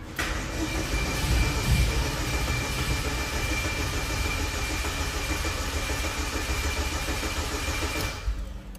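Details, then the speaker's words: Chevrolet Celta towed in not starting, 5 L fresh petrol added and fuel system pressurized: about eight seconds of steady cranking with a hint of catching but never fires; suspects old fuel in the fuel rail. "ve testar mais um pouquinho hein Até agora nada vou fazer mais um teste aqui hein galera"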